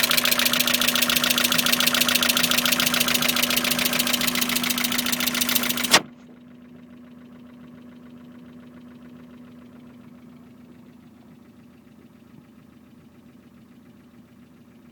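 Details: Mazda MX-5 petrol engine at idle: a steady hum with an uneven, knock-like pulse of three or four beats a second; owner suspects rough running and seeks advice, cause unconfirmed.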